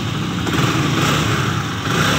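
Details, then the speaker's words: Honda CB150 (old model) single-cylinder, after repair for stalling when hot: head gasket replaced, head cover and block mating faces resurfaced for a suspected head leak; steady, slightly coarse idle with even beat, no stalling or misses; runs well. "kita pasang dan dites Alhamdulillah hasilnya bagus"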